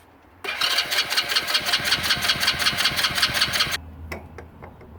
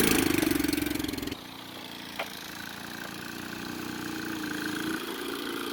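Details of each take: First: Hammerhead 110cc go kart that sat almost a year: the starter whirrs steadily with even compression chuffs about three a second but never catches. Spark was checked and the plug cleaned; carburetor to be pulled and cleaned. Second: Hammerhead 110cc go kart that sat almost a year, after battery charging, carburetor cleaning and refitting a used air filter: the small single revs up and settles into a steady, even run with no knocking or misfire.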